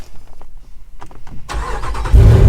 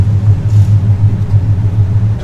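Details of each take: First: V8, after sitting nine to ten days in Amarillo at night temperatures in the 20s °F or lower, concern about battery in cold: short crank, catches at once, steady even idle; normal cold start. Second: LS7 drift Corvette that shut off on track, voltage very low despite jumper truck and jump box: low, uneven droning buzz with no cranking rhythm. The starter kicks but does not turn the engine over.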